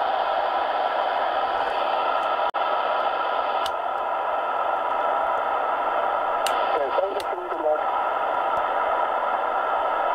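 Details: Sony ICF-SW7600 shortwave radio after repairing a short and replacing SMD electrolytic capacitors: steady hiss with faint Morse and station tones coming through, no crackling or dropouts; receiver picking up normally.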